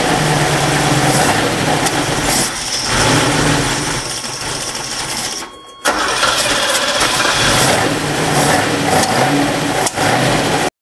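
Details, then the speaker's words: Lamborghini Jalpa V12 converted US to Euro spec with rebuilt carbs, air pump disconnected, started cold with idle screws out a little: loud busy idle with uneven, slightly ragged beat and one dip; running a bit lean. "Well, it actually started with the idle screws out a little bit, but you can tell it's running a bit lean."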